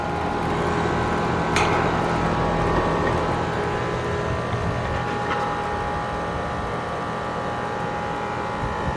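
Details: AC condenser on a no-cooling call, restarted after adding a hard start; compressor rated 19.9 A, fan about 1–1.2 A. Even steady whoosh of fan and compressor, no knocks, buzz or rattle: normal condenser running.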